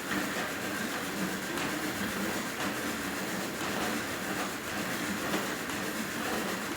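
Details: Merax elliptical bike after one week of use, steady rushing clatter with a repeating clack about once a second: rhythmic clatter during use.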